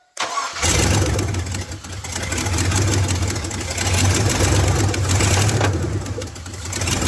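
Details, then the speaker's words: Abandoned Chevy Silverado mud-rig, EFI, started with the intake disconnected: engine catches, runs rough and uneven through a few small revs, then stalls. "[Music] Did you stall it? Yeah. All right. Well, it runs."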